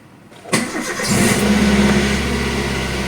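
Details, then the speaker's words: Car unused for two weeks, started in neutral: short brisk crank, fires first try and settles to a steady even idle; battery still strong. Normal start. "Oke, mesin menyala ya teman-teman. Jadi alhamdulillah aki saya masih kuat walaupun tidak dipakai sama sekali selama 2 minggu."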